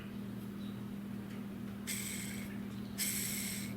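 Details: Davis Vantage Pro2 6410 anemometer, old bearing cartridge (about 7 years old) spun by hand after removal: two short, rough, raspy whirring bursts over a low hum; worn bearings, replaced with new cartridge 7345.953.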